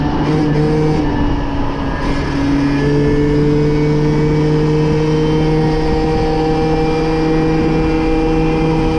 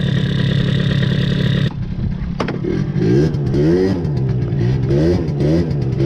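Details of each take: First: MBK moped two-stroke after leaning out its carburetor mixture, still slightly rich at low end, with top speed going from 30 to 70 km/h: a steady high-pitched buzz that rises and settles cleanly between throttle blips, running crisply with no stumble. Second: MBK two-stroke scooter after intake filter change enriched the mixture, free intake and exhaust: buzzing, then blips with revs rising and falling sluggishly with a muddy burble; carburettor running too rich.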